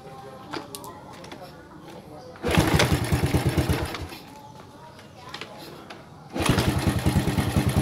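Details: Yamaha Vega ZR motorcycle with lost ignition, starting after wiring/regulator (kiprok) check and coil refitted: catches twice, running briefly each time with quick steady putter about 200 beats a minute; starts again.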